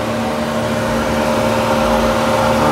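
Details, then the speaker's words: 2013-2016 Nissan Caravan NV350 after converted A/C condenser replacement, leak check, vacuum and regas: steady engine idle with smooth compressor and condenser fan drone, no rattles or squeals, A/C blowing cold. "so guys you can hear the condenser fun running and the ac system cycle out and cheap inbox dripping water"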